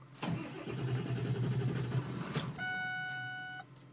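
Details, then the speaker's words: Ford diesel truck, unused one day, block-heated overnight, glow plugs cycled before cranking: short cranking burst, then it catches for a couple of seconds with an uneven idle before dying; took about four tries to start. "it just died starting again won't start still won't start"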